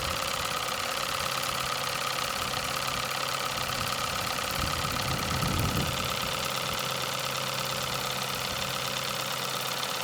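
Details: Nevadent water jet flosser (Lidl) on soft setting, emptying a full tank: steady mid-pitched buzz with fast even pulsing, no rattles or strain; pump running normally.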